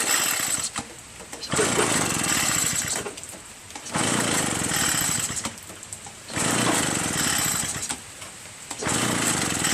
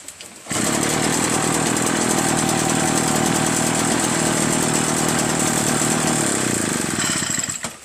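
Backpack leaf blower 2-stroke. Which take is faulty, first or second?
first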